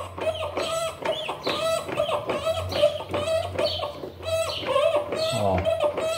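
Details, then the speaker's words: Electrolux LPR17 washing machine, noise during agitation, belt removed and mechanism turned by hand: rhythmic squeaky clicks about twice a second from inside the transmission mechanism; worn internal gears. "parece que ela tá ela tá com fogo lá dentro no mecanismo tá na parte interna dela"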